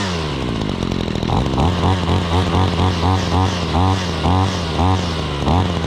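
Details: 2013 Ryobi SS26/RY28140 trimmer, 26cc two-stroke, after cold start: buzzing and blipping up and down about twice a second, picking up cleanly each time; normal running.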